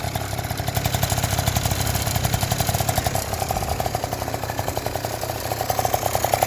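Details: Yamaha Jog two-stroke scooter that would not start, after cleaning the spark plug and tightening the cylinder head: steady, quick popping beat at an even idle with no stumbles or dropouts; running cleanly.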